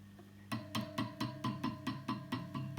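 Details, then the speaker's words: EL84 power tube in a Vox AC30HW or Fender Vaporizer amp being tapped: each tap gives a sharp ringing ping with a sustained tone through the speaker, about four per second, showing a microphonic tube. "you hear that you hear that so that sucks you know imagine you're playing guitar and this [ __ ] noise is just coming through all the time"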